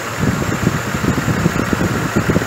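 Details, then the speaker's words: 2005 GMC Envoy 4.2 idling unevenly with low thumps and stumbles: the misfire code moved from cylinder 2 to 3 after swapping coils, and that coil stays hot, so a shorted ignition coil is suspected. "el hecho de que el mensaje se pasó del 2 al 3 y el hecho de que sigue caliente ese coil me hace pensar que quizás este cole está corto y este fue el problema"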